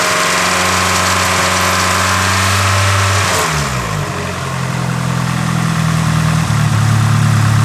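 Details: Nissan S15 SR20 petrol engine on a cold start, held at about 2,500 rpm: strong droning hum and weird noise that then drops and settles lower.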